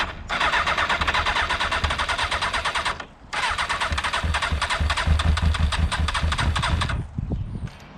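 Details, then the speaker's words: Motorcycle left standing for a month, water in the tank suspected: two long bursts of fast, even starter cranking with no firing; cranks but won't start, cause not confirmed. "i think we can all hear that and we know what's going to happen it will start but it just needs a small break"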